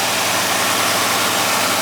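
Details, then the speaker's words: 1962 Oldsmobile Starfire V8 idling shortly after a cold start, which wasn't too bad, during a road-ready inspection. Very smooth, steady idle with no knocks, misses or surging. Normal idle. "Okay, we're doing a video of the engine running. Very smooth. Cold start wasn't too bad."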